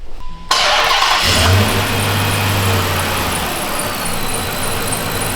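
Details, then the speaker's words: Dodge Magnum R/T V8 after a sensor and O-ring were reinstalled. It starts with no check engine light and idles steadily at about 800 rpm in park, not yet warm, while a thin, shrill belt squeal rides over the engine. "Uh like around like 800, but you know, it's got to warm up when we're in park, but it's idling good. >> Got a nasty belt squeal."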